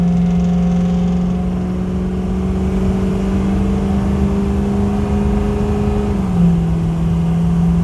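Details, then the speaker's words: 2006 Ford F-350 King Ranch 4WD, 6.0L Powerstroke diesel, about 50% throttle up to 80 mph: rising drone under load with clean upshift near six seconds, no vibration; normal acceleration and shifting. "smooth crisp shifts there's 80. not a vibration or anything tires don't make a ton of noise the truck drives great doesn't seem to pull"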